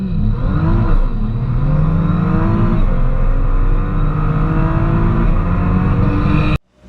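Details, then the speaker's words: 2010 Nissan GTR (R35) in earlier healthy driving clips: deep, strong pull with pitch climbing cleanly through the revs, no knocks or rattles; normal engine under hard acceleration. "So that's what a healthy GTR is supposed to sound like."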